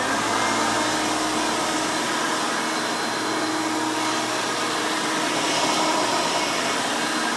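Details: Vintage 1990 Hoover Elite 350 U4463-9 upright vacuum with a 5-amp motor running: a loud, steady high-pitched rushing roar with no pulsing or scraping. The motor is healthy.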